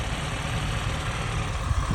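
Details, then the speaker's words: 1987 Austin Mini Advantage 998cc, 47,163 miles, all original, warm after a road drive; steady, even low rumble with no knocks or misses, purring smoothly, normal idle. "I've just taken it down the road. Absolutely perfect, up to temperature. And listen to it purring away."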